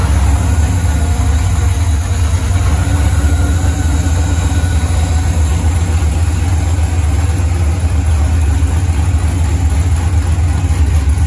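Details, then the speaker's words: Freshly built 5.3 LS V8 on first start with open headers and aftermarket 90mm throttle body, TPS voltage corrected: strong even low burble holding steady idle without hunting or misfire; normal idle, starts and revs snappily, slight stumble on return. "so it is idling real nice right now it starts real nice it's snappy it revs up good"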